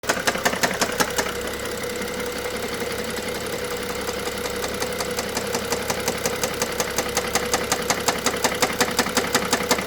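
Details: BMW F07 with N55 engine at idle: steady, sharp knock tapping nearly three times a second over the running note.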